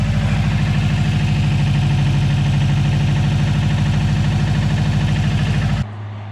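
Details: Subaru after water pump and timing belt replacement (was leaking antifreeze at water pump), first start after refill: deep steady low idle pulsing about three times a second, even and smooth until cut off; normal idle.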